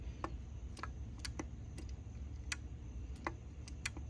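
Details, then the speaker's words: GE front-load washer GFW650SSN0WW that shuts off during cycles. A main-board relay is tested by holding a magnet at its coil. It gives sharp, irregular clicks, about ten in four seconds with uneven gaps, over a quiet hum. The relay chatters and needs replacing. "so when you put the magnet next to it you'll hear it click okay this one is having major issues clicking"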